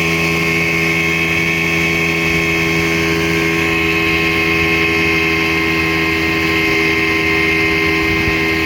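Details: 1960 Scott-McCulloch 12hp outboard with a 14.1hp McCulloch powerhead, bronze Michigan Wheel prop, 24:1 full-synthetic mix, holding speed on the lake: steady, even high-pitched buzz with no misses or surging; normal running at speed.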